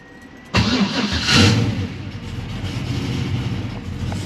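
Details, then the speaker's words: 1970 Chevelle SS V8, remotely tuned, after tinkering: brief crank, catches at once with a quick rev, then steady even idle; starts cleanly without needing gas, unlike before. "much better the Fourier would have kind of like struggled to start you had to give a little bit of gas but perfect beautiful"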